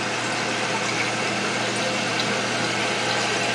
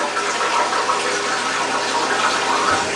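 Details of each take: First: Toilet with a Fluidmaster fill valve, repaired after repeatedly leaking and refilling: steady even hiss of water flowing with no sputter or chatter as the float rises toward shutoff; the tank is filling normally. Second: Toilet refills itself several times daily with nobody using it, steady hiss of water running into the tank; phantom refill from leaking fill valve, fixed by replacing it with a Fluidmaster fill valve.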